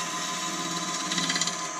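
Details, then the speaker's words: Wood lathe turning a pear: steady high-pitched cutting hiss breaks into a rapid fluttering chatter for about half a second as the tool rides over a knot in the wood. "Looks pretty good. Sounds like there's a knot or something in it. Oh, there is."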